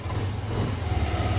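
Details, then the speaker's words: Yamaha NMAX V2 scooter after repair of its engine knocking noise: steady, even idle with no knocking or tapping; the noise is gone. "So wala na ingay, rev natin para okay."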